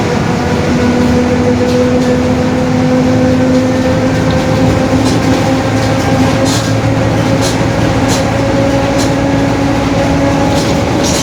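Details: Marcopolo Torino S bus, 2021, Mercedes-Benz OF-1721 BlueTec 5 chassis, lengthened, urban service; steady droning hum with a low tone and higher whine shifting gently with road speed; growling differential.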